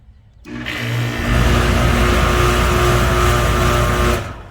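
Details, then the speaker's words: Home AC condenser unit after replacing the capacitor, relay plunger pressed manually: low hum builds over about a second to an even, steady drone; condenser starts and runs normally. "Okay, there we go. We know that it turns on now."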